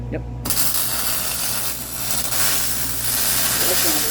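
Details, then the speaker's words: MIG welding motor mount for Honda Odyssey FL350 electric conversion after wire speed lowered to 5.5: steady, even crackling sizzle like frying bacon or scrambled eggs, no popping or sputtering; normal weld sound. "I can sit there and turn the wire until it sounds like scrambled eggs."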